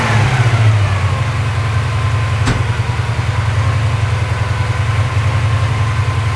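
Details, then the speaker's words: Porsche 928 V8 during mixture, idle and timing adjustment, tachometer not working: steady fast idle estimated around 1100–1200 rpm, smooth unbroken rumble, no misfiring after earlier missing; exhaust bracket rattle remains; normal fast idle. "now I can't tell what RPM that is because my um Taco is not working but it's coming down we're probably still above a thousand or so 11 1200 something like that but it's actually uh not misfiring at all"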